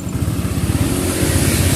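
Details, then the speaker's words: Motorcycle on a cold engine: idle is normal, but on throttle it stumbles, sags and nearly dies as if starved of fuel, and is fine once hot. Uneven struggle to pick up revs; throttle position sensor fault. "Ini contohnya saat motor hidup dia saat langsam posisi normal tapi saat digas dia merebet seperti mau mati nah seperti ini dia tidak mau digas"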